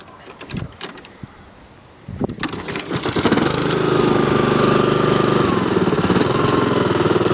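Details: Honda HRX217 self-propelled mower started after repair of the right rear axle support, which the customer said had been grinding. After a couple of seconds of handling it fires and settles into a steady, even run with no misses or knocks; normal running.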